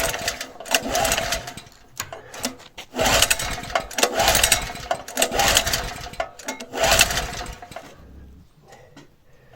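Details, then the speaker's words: Small engine, likely a generator, after its head was machined to shrink the chamber: on gas with the choke closed, the starter cranks in steady bursts of a couple of seconds but it never fires. Little compression is felt. "ну особо Не ощущається ні [ __ ] він не заводиться на на газу цьом Не хоче чого не хоче хто зна"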